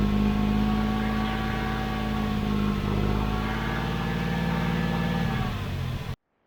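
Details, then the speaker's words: Abandoned 1991 GMC Sierra 4.3 V6 with a new distributor, kept running by spraying fuel into the intake: a steady, even note at constant speed with no knocks or misses. Running decently. "Just see how it sounds. Was working good. Okay, it's actually running pretty decent."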